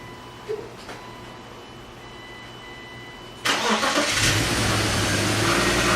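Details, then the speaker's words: BMW E36 first started in a while after frame-rail repair, before the AC work. Quiet ticking, then the starter catches at once and the engine settles into a smooth, steady idle with no odd noises. Healthy start. "alright I'm back and I'm hyped bigger well we have success cars already running"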